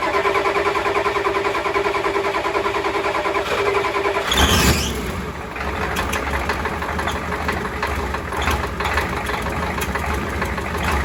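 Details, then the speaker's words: Ford 7.3 IDI diesel, first start after a Banks turbo install with new oil lines: fires up and settles into a steady, even clatter at idle, no misses or odd knocks, no oil leaking seen; normal diesel start and idle. "sounds pretty good yeah i'm pretty happy with that sounds good i don't see any oil leaking"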